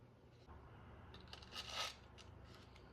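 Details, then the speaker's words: Tara TM-9 pistol slide being lapped onto its matching frame rail with lapping compound to fix poor fit and jamming: short gritty scraping strokes with one longer rasp, deliberate slide-to-rail grinding during lapping. "Hear the grinding sound. Normally that is not a sound you want in your firearm."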